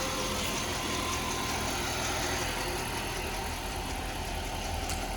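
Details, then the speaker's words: Saab 9-5 just after new NGK spark plugs and ignition cassette replaced for misfire, cold idle about 45 seconds after start: smooth, steady even beat with light accessory-side hiss, no stumble; healthy idle. "Seems to be idling pretty smooth so far. I mean, it's only been like 45 seconds since I fire it up, but uh I'm going to let it warm up."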